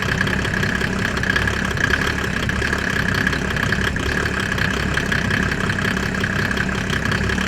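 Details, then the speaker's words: Mercedes OM606 diesel in a Land Rover build just after its first start, microphone near the exhaust: even, steady idle clatter with no misses or hunting; sounds healthy. "Wow, guys, that sounds really good. I just put the mic near the exhaust."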